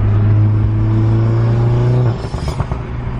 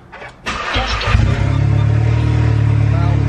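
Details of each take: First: Tuned MK7 Golf R with new Trackslag 4-inch V-band catless downpipe installed, driving early morning: deep steady drone under load, then loud crackling pops and bangs as the throttle closes; healthy exhaust with overrun pops. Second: MK7 Golf R with new Trackslag 4-inch downpipe not yet joined to the exhaust, first start after replacing the broken downpipe: starter crank, then a deep booming, blatty idle drone far louder than before, exhaust open at the downpipe.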